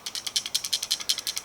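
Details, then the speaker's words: Roush active exhaust driver-side valve actuator (plastic electric top unit), sealed, failed on install: sharp plastic rattles about ten a second when shaken; broken internal piece loose inside. "When I shake it, something in here is falling apart and is loose."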